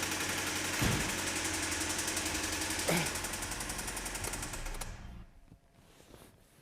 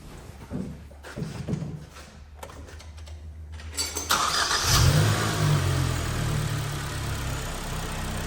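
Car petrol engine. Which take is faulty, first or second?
first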